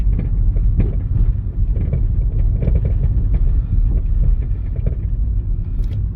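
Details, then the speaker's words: Nissan on a test drive just after fitting new front shocks: dull clank-clank clunks through the road rumble over bumps. It is noisier than before, and the suspension rattles when pushed down; the owner thinks it needs tightening. "May napansin ako May May nagka clank clank clank na ganon pagka ah nalulubak ako"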